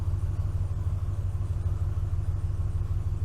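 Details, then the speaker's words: 2012 Ford F-250 6.2L gas V8, 274,767 miles, cold high idle in a closed shop: a smooth, deep, even idle with no ticking or knocking. Oil pressure reads zero at idle, and the oil pressure switch/sending unit is suspected, before replacement. "So while it's in high idle, I got all the shop doors closed. It's cold outside, so."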